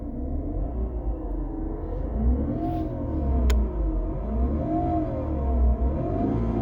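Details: BMW E46 318i running with the AC on, just recharged with refrigerant after a passed vacuum test: wavering, warbling tone rising and falling every second or two. Cause unclear.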